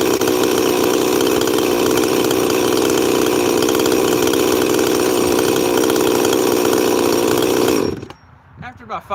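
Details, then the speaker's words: 346 chainsaw, not run in a while, on a chilly day, set pretty rich: steady high buzzing run with a slightly blubbery, uneven edge before shutting off; rich-running mixture. "I haven't run that 346 in a while but I'm running it pretty rich you can hear tha"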